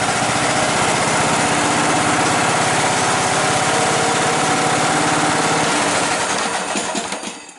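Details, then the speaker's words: John Deere Sabre lawn mower, choke on: small single engine fires and runs fast and rough about six seconds, then winds down; hard starting, owner suspects poor fuel flow and plans shortening the fuel line. "Choke on. Sure, it's trying to start now. Well, that wasn't bad,"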